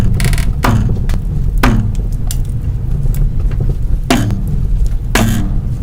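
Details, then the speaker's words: Worn, damaged strut mounts: with the wheels turned to full lock, loud creaking clunks come about once a second under a low rumble. Strut mount noise when steering. "aquí otro de los ruidos que hacen las bases de los amortiguadores cuando están dañadas y se giran por completo las llantas para dar"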